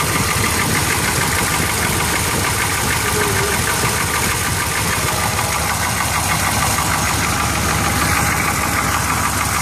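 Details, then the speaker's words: Chevrolet K10 Suburban at idle: rough, busy running with a loud mechanical clatter from the front of the engine, while the rear stays quiet. Owner suspects the A/C compressor (the belt was checked tight) and possibly a belt squeal at startup; unconfirmed. "so but yeah so you can hear it all that don't way back here it's quiet it's noisy up here"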